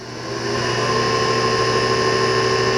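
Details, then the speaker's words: 2013 Shigiya GU30B 100A grinder: variable-speed grinding wheel starting up slowly. Smooth, even hum builds over the first half second, then holds steady with no rattle or scrape. Normal wheel spin-up. "So let's go ahead and start it up. Grinding wheel is going to start up slowly because it's a variable speed."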